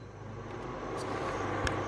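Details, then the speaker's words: Midea induction cooker after repair, plugged in directly: even fan hiss builds smoothly with one faint click and no beeping; it now detects the pan and runs normally, where before it only beeped. "Đấy, nó bắt nồi luôn các bạn thấy không? Nó không kêu tít tít như vừa nãy nữa. Ok không các bạn? Đấy, chạy bình thường nhé các bạn nhé."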